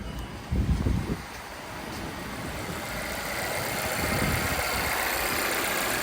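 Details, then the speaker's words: 2017 Volvo XC60 idling after a vacuum/PCV leak that caused P0507 high idle and P0171 lean codes was fixed: a couple of brief thumps, then a quiet, steady idle with no hunting or surging, running normally. "Run okay. Nothing here. Run perfect, run like this."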